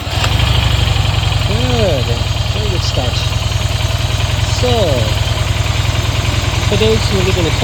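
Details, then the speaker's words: Harley-Davidson Dyna Low Rider, icy cold start after fitting a new 315 CCA battery: quick, strong crank that catches at once and settles into a steady loping idle; starting system healthy. "okay so it's a cold start it's icy cold okay now let's start it up and see how it is [Applause] good very good"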